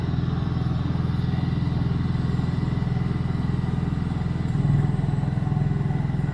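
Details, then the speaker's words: Honda inverter generator connected to a 30 amp RV, running with no heavy load (lights, battery charging): a low, even putter with no hunting or misfire, normal. "We can still have a conversation right here next to it. Full throttle with no heavy load."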